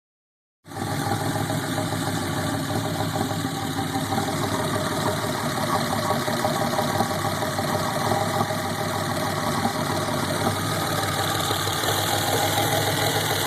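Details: 1987 Buick T-Type: uneven, loping idle with a slight knock and shake about three times a second instead of a steady beat; rough idle.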